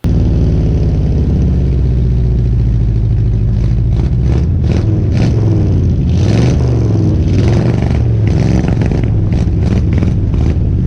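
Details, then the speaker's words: 1970 Ford F100 V8, sat for years, running well after carburetor rebuild and new spark plugs: deep, steady rumble with throttle blips, even firing, no knocks or misses; smoking heavily, owner hopes new rings help. "She sounds good and runs really good now. Um, you know, gave it a little bit of Nordic tuneup with the water right there."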